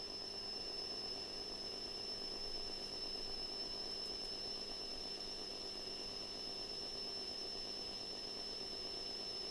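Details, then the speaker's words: Atari 65XE with XC12 tape drive loading a just-saved program: a steady high tone over hiss plays back very faintly and never swells into strong loading data; the Atari does nothing and the load fails. "so the noise was there it was quiet and the Atari hasn't done anything so that is the problem that I've got with this tape unit"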